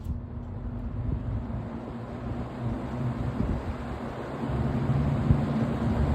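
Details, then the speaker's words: Vintage Kmart box fan on medium speed: steady, even rush of air with a low hum and no ticking, scraping or wobble; running smoothly. "wow that is a jump it's running pretty good too"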